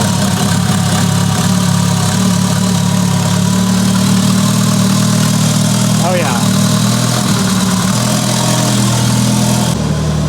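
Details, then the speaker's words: Mitsubishi Lancer Evo 8, abandoned-car restoration, first start with new ECU after fixing broken wire causing misfire: steady smooth idle, even low rumble, no missing cylinder, good oil pressure; normal idle. "oil pressure is beautiful wow this sounds so good wow"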